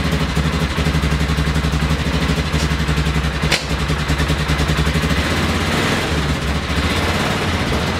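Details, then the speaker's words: 2000 Polaris 6x6 ATV after repairs to the CDI, brakes, carburetor, fuel lines, tank, kill switch, wiring, bendix gear and starter relay. The single-cylinder engine runs with a steady, even, rapid thump and a brief blip, with no misses or knocks; it is healthy. "So I did, cleaned her all up, got her working, and now she works good."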